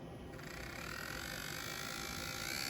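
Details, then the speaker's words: Intermountain N-scale Kansas City Southern SD40-2, bought used and known to be noisy, running at full throttle: a thin whirring buzz with a gritty rubbing edge. Something is rubbing; cause not yet found. "Noise. Noise, noise, noise. Definitely have noise. So, let's figure it out. There's obviously something rubbing."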